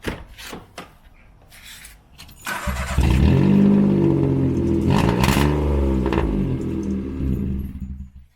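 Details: Peugeot 107 with the corroded rear exhaust backbox broken off and the exhaust hanging: key rattle, then the engine starts and revs with a raw, loud, tractor-like bark from the missing rear silencer.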